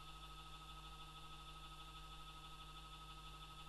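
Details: Faulty ATX computer power supply with a high, unstable 3.3 V rail, powered on with hard drives as load. Quiet, steady high whine over a low hum at unchanging speed: the PSU fan runs noisily.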